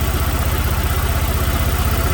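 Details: 2006 Chevrolet Malibu 2.2 Ecotec 4-cylinder, flashing MIL, P0300, plugs already replaced: heavy lumpy idle, deep uneven throb about thirteen beats a second; cylinders 1 and 4 dead, no coil signal on two wires, failed ignition control module.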